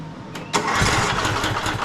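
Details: Cub Cadet LT42 XT1 Enduro with a Kohler KS540 18 hp single-cylinder OHV engine, reported to die during use. Restarted after topping up the oil: brief cranking, then it catches cleanly and runs steady and even with no misses.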